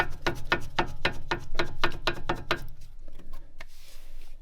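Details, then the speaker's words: Volvo V70 (early model), car raised and wheel off: sharp, evenly spaced clicks, about four per second, as the drive shaft is rocked by hand. The other side clicks the same and there is no noise when driving; free play, cause unknown. "I don't know if that also should sound like that, because I checked the other side and it sounds just the same, but it doesn't make that noise when driving."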